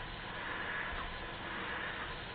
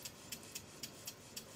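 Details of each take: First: Model Stuart beam engine, after repairs and valve timing correction, final high-speed run; fast, even exhaust rush with no knocks or rattles, runs smoothly and nothing drops off. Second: Model Stuart beam engine on compressed air after repair work, running slowly and quietly; slow ticking about four beats a second, unevenly spaced as it hesitates when the crank pin passes over the top, showing valve timing is out.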